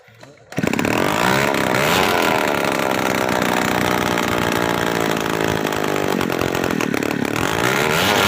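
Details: Two-stroke brush cutter that wouldn't start or died at once, running after its clogged exhaust/muffler was cleaned; strong steady high buzz holding revs without stalling or sputtering.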